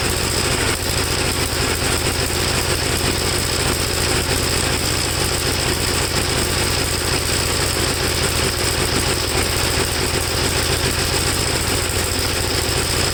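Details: 1954 Gravely single-cylinder tractor, second cleaned carburetor, no choke, engine hot: uneven, ragged running never settling into a clean beat; black plug, owner suspects it is running too rich, unconfirmed.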